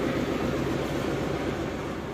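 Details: 1995 Daihatsu Zebra Espass 1300cc carbureted, started after several days unused: steady, even low hum at raised idle around 1000 rpm, no knocks or misses; engine idling cleanly.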